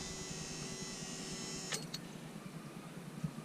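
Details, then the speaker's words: Wrecked rollover vehicle during wiring rebuild: plugging in the second battery sets off a thin, steady high-pitched whine for about two seconds, then a click and it stops; owner suspects the alternator, source unconfirmed. "when I plug this one in something over here starts making a noise I think it's the alternator"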